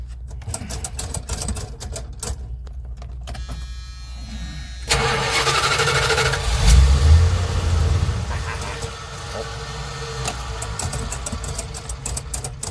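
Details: Van engine project being started for the first time: starter grinds, engine catches with a surge then sags and dies instead of idling; failed start, cause not stated, succeeded on next attempt.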